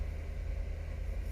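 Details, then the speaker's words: Toyota MR2 with the engine off and the key in position two: a low, steady buzz from the electric cooling fans, whose fuses had been missing; the cause is unclear. "that right there you hear that it's the fans i don't know if this is a good thing or a bad thing"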